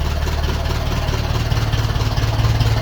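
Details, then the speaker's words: 1951 Ferguson tractor after thermostat housing replacement, throttle linkage being set: deep, even low thump at a slow steady beat, no knocks or misses; healthy idle, no leaks, temperature gauge working. "Yes! It runs and it's not leaking. Brilliant."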